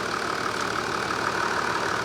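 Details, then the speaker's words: Toyota 80 series Landcruiser diesel at idle after a light rev: even, steady idle with a light regular tick, no knocks, squeals or grinding; mechanic judges it healthy, running true, though fuel smell noted at exhaust. ">> Yeah. Fine. Everything there's happy. Not even a sound. >> A good. Yeah. Everything's running true."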